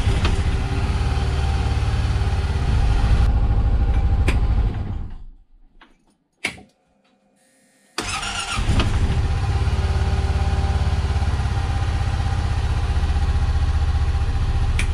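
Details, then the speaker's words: Honda Pioneer 700 (2015-up, single cylinder with two spark plugs), cold start after upgrading stock NGK plugs to iridium NGK: catches on first turn, settles into steady low idle, shut off and restarts promptly; starts slightly better but not a full cure. "it did seem to start a little bit better uh and and it did fire you know on the first turn without me having to just crank and crank it and turn it off and back on"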